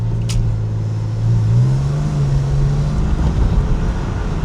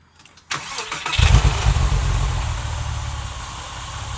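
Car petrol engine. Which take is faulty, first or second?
second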